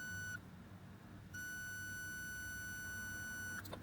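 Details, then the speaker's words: Bose QC30 noise-cancelling earbud with water damage: a steady high squeal around 1.5 kHz cuts in and out, a feedback howl that appears when the front sound port is blocked and on pressing or blowing on the left earbud. "这个现象不常见，我们来见识一下。听清楚啊，有没有听到一个啸叫的"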